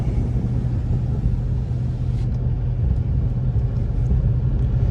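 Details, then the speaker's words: Mercedes E55 AMG V8 driving after maintenance, new spark plugs, original coil packs: deep even rumble with no ticking or puffing; header leak gone, though owner hopes it doesn't return under load. "I'm happy to not hear the exhaust header leaking anymore that's for sure hopefully after we give it some load it doesn't come back"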